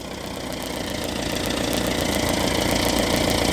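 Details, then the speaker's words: Small classic four-cylinder in the garage with the air cleaner off after fettling, just started and warming up: even idle of about three pulses a second, no misfire; a better idle than before. "yeah that sounds all right doesn't it didn't it yeah it's a better idle than it"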